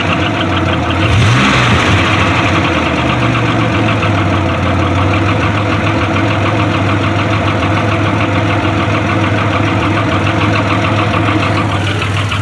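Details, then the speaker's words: Grand Am with swapped 3800 supercharged engine after a fresh oil change: steady idle with a light, irregular tapping over the engine hum; new knock or tick, owner unsure whether it is a lifter, loose rocker or rod knock. "maybe a lifter man i hope that's not a rod knock maybe a loose rocker i don't know guys comment and tell me what you think this might be"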